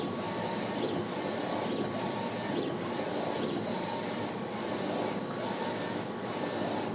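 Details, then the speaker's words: Ricoma REVEL DTF-2402 DTF printer laying white ink on a test print with 0.1 mm choke: even carriage sweeps about every 0.85 s over a soft steady hiss, no knocks or grinding. Normal printing. "I can see it's laying down that white ink on those lines and I can see it's right where it needs to be with that 0.1 mm choke"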